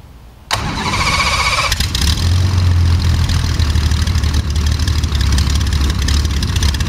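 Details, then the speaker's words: First engine start of a Jabiru 3300 six-cylinder (about 50 hours, Rotec TBI) in a plans-built Sonex: brief crank, then it catches cleanly and settles into a steady, even idle with no misses or knocks. "that's I'm glad you noticed that sounded really good yeah sounded really good"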